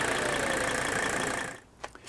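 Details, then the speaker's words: 1983 Mercedes diesel brought up to speed: even running with the usual light clatter and a faint whine, no harder knock; the clatter is normal for these engines, not a bad rod; healthy diesel. "that little clattering noise is what you will recognize is so unique"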